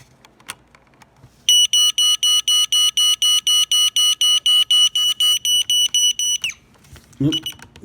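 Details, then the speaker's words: Sharper Image AM/FM radio with ionization smoke alarm, thrift-found, on smoke/test mode; its battery sometimes shorts and gets hot; rapid high beeps about four a second for about five seconds, thin and very quiet; weak smoke alarm sounder. "So it's on smoke. As you can hear, it sounds sickly. So you can switch it to off. There we go, off, test. And sadly, that's all the louder it is. Probably supposed to be a lot louder"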